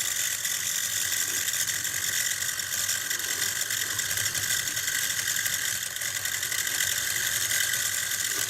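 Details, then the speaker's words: Stellaphone ST450 reel-to-reel tape recorder, 61 years old, during restoration with a new belt kit fitted: a steady, busy whirring and ticking from the drive mechanism runs loud throughout with no deep tone, so the motor is noisier than it should be. "noise of that motorist is a bit much"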